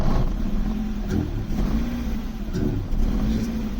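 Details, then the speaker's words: BMW E36 318is with swapped M42B18 engine: after about a minute running it misfires; light throttle makes the note sag and hesitate before recovering, more throttle almost stalls it. "If I give it a little bit of throttle, it hesitates, but comes up."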